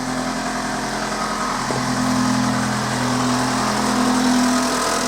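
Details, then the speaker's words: Vauxhall Corsa 1.2 right after a service (oil, filter, air filter, Bosch Super 4 plugs): steady idle with a light, fast rattle about four a second; the timing chain is still noisy but quieter than before, and the knocking stops when revved. "still have a noisy chain but it's not as noisy but just to demonstrate as you fire it up for you and this sort of proves that the service is done"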